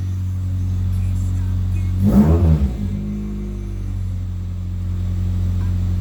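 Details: 2003 Pontiac Vibe GT 2ZZ-GE with PPE long-tube header, mid pipe and high-flow cat, no muffler yet (Borla XS pending): deep steady drone, one sharp rev blip falling back to idle, loud and raspy; open exhaust.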